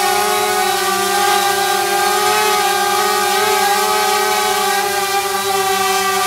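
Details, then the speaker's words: DJI Mavic Air with original stock propellers, motors at max power: steady high-pitched stacked whine holding level; motors spinning evenly, normal. "okay that's actually a fairly good test to hear you the noise that this makes the motors were at max power and so that kind of gives you an idea of what it sounds like"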